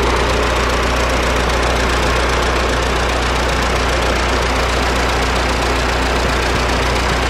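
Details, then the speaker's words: Diesel camper van after pulling over on a climb and hand-pumping the fuel: continuous steady clatter with a constant drone, no stumbling or dropouts. A pinched fuel primer bulb had starved the engine of diesel; it's reshaped and running normally. "c'est bon c'est bon revenu ouais ouis c'est revenu la poire s remis dans le bon dans la bonne forme était complètement pincé et le gasoil n'arrivait pas assez au moteur"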